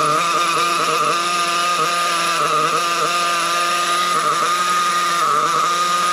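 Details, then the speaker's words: Trophy buggy bought from a previous owner who couldn't get it running, in cold weather: plenty of smoke at top end but a thin, high-pitched scream at the bottom end; running lean, low speed needle problem, later found to be a carburetor issue. "Yeah, definitely a low speed needle problem. Plenty of smoke at top end, but the bottom end, you can hear how lean it is."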